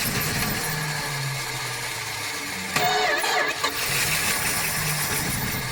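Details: Barn-find 1976 Dodge Dart, unregistered since 1997 and sitting outside, with old gas: cranking catches and fires unevenly for a few seconds on gas poured into the carburetor; starving for fuel from the tank.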